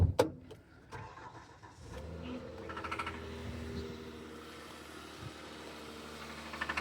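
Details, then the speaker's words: 2015 Kia Sorento 3.3 V6 with a customer-reported engine noise starts and idles with a fast, regular knocking rattle: bottom end noise, worn main bearings/conrods; options are a secondhand engine or a rebuild. "pretty sure you should be able to hear that knocking noise. It's usually like a rattle or a knock."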